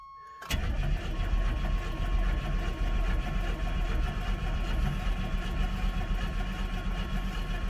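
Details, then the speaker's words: 1988 Chevy S10 Blazer Sport 2WD junkyard truck. The starter cranks slowly and unevenly with no firing. Owner wonders about resistance in the engine; fuel splashed into the throttle body also gave no fire. "oh she cranks slow wonder if there's some resistance in that engine or"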